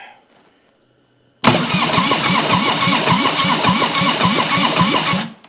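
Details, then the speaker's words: 1997 Harley-Davidson Heritage Softail Springer, sitting since 2002, first crank attempt: starter spins the V-twin about four seconds with even compression pulses, no firing; cranks over fine. "I just want to see if it'll rotate over. Ignition. Let's see."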